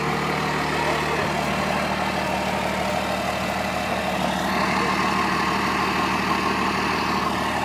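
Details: 12-valve Dodge Cummins diesel running with the turbo hose off: loud clatter with uneven pulsing and an open, hissy intake roar, plus smoke; bad fuel injector.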